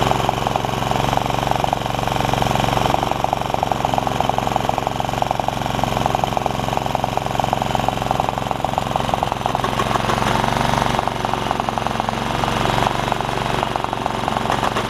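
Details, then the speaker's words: Honda HR194 push mower, single-cylinder, after the ignition coil swap and freeing the stuck throttle linkages. Started on the first pull at mid throttle, it chugs along steadily with even, rapid firing and no misses or surging. "my thing started right there on the first pull how about that"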